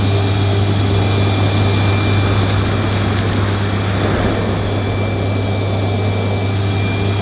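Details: Panasonic MC-E862 bagged cylinder vacuum, bought new in box, picking up dirt on deep pile carpet: a steady, even motor hum with a smooth airflow rush and no surging or rattles; a relatively quiet, good performer running normally.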